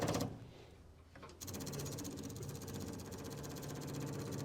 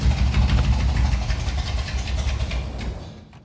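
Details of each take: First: 1961 Buick Electra 225 with 401 Nailhead V8: quick steady ticking about four times a second as the fuel pump fills the carburetor float bowl; normal fuel pump operation before starting. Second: 1961 Buick Electra 225 with 401 Nailhead V8: deep rumble catches briefly, then fades and dies within about three seconds; bad accelerator pump, carburetor needs rebuilding.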